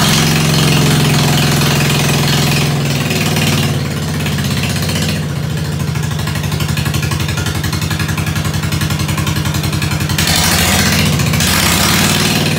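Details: Ford 100 at the end of a tune-up, started with starter ether on a roughly 40°F day, idling through a straight pipe: crisp, even putter with a sharp open-pipe bark on each firing, running smooth and healthy.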